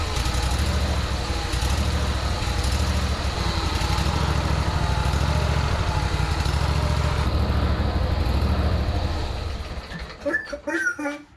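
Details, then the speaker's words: Craftsman ZTS 7500 zero-turn mower small V-twin, first start on starting fluid after jump-starting a weak 6.25 V battery: steady, even putter at idle, no misses or knocks, then cuts off; runs decent, slight exhaust smoke. "It runs! Woo! Not only that, it runs pretty decent."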